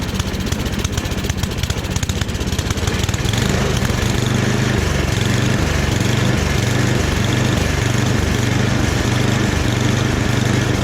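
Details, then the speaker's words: Free secondhand snowblower after rebuild, running with transmission in medium: even steady small-engine thump with no misses, surging or knocking; running smoothly. "But even the transmission works. Everything seems to work with it. So I'm pretty surprised."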